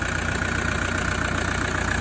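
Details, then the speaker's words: Toyota Prado 150 with 1KD-FTV diesel idling after an alternator replacement: steady, even clatter and a constant low rumble with no knocks or surging. Charging is good at about 14.2 V on a low battery, and the alternator is working as it should. Normal idle. "All right guys, so that's all running fine. Looks like it's running fine. Sounds like it's running fine."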